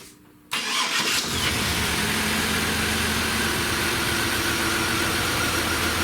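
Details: 1999 Chevrolet S10 4.3L V6 with distributor ignition cranks, catches and settles into a rough, uneven idle with rattle; code P0300, one cylinder dead from a burnt distributor cap terminal (driver's side rear).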